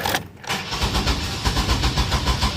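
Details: 2000 Chevy Astro van with no check engine light: the starter churns steadily but the engine never fires, a hard-start, crank-no-start condition. Owner suspects the camshaft sensor and corroded, stripped connector wires, and possibly a battery weakened by long cranking.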